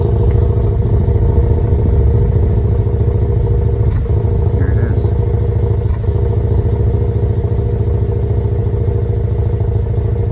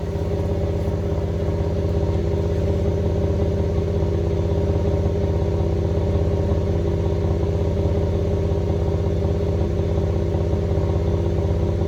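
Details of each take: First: 2015 GMC Canyon 3.6L V6 with a misfire since a dealer service, heard at the tailpipe: an uneven, loping idle with occasional skips, pointing to a cylinder misfire from a nearly closed spark plug gap. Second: 2015 GMC Canyon 3.6L, coils and plugs reinstalled after dealer-service misfire complaint, recorded at tailpipe: steady even idle, smooth exhaust pulse, no skips once plugs saturated; earlier clear idle misfire gone. Normal idle.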